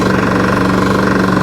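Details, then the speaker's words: Briggs & Stratton mower engine that kept smoking and was not cured by a valve adjustment: it runs steadily with a hard, regular rap under each firing stroke from the bottom end. Engine knock. "Got the hammers in there. Look, she's chooching. Oh, she's chooching. Oh, lordy."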